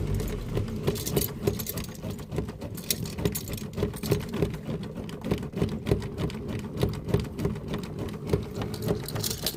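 Starter churns the engine at a steady pace, about three compressions a second, but it never catches; cranks without starting.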